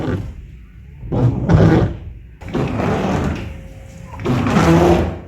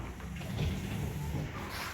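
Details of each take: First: तो अक्सर जब हम गाड़ी का वाइपर चलाते हैं तो उसमें आवाज़ आती है। सम टाइम दोनों तरफ से आती है और सम टाइम एक तरफ से आती है। जिस तरह हमारी इस गाड़ी में भी इस वक्त ये आवाज़ आ रही है। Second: Car windshield wipers after the fix (rubber blade side changed): wipers sweep with only a soft low motor hum, no squeak or chatter as heard before the repair.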